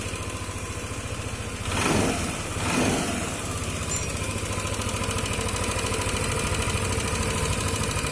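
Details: Yamaha Lexi (125) scooter idling with fast, light sewing-machine-like ticking over the engine note; cause not identified.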